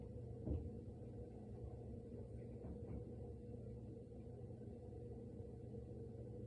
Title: Noise starts after the fridge stops making noise